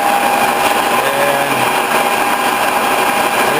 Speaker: Some people say my machine's a little noisy. Well, it might be. It does have straight cut gears.